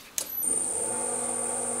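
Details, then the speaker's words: Huanyang VFD drill press motor, after raising carrier frequency from 4 to 8 kHz: smooth even hum with only a faint very high hiss, no harsh squeal; a lot better, normal running. "there's a faint whistle still live and it's a lot better than it was"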